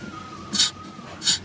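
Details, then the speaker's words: 1966 Ford Mustang convertible, brake pedal pressed after brake bleeding: two short sharp hisses as the pedal goes down, air leaking through a torn brake booster diaphragm; booster confirmed bad. "they might have been doing it before I don't remember but it's like it sounds like the the brake the the booster on the brake has got an air Le okay I press it again it is guys it is a torn booster um diaphragm"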